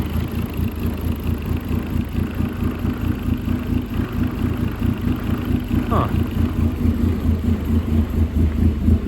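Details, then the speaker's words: 2008 Dodge Caliber SRT4, abused project car, just started, low on gas, check engine light on: revved at mid-range rpm with an uneven pulsing beat and a loose rattle. Won't idle, no oil light, no rod knock; source unknown. "No oil light, but I do hear a rattle when it kind of I don't know if it's a rattle or what that noise is at kind of mid-range RPM. It doesn't want to idle, that's for sure."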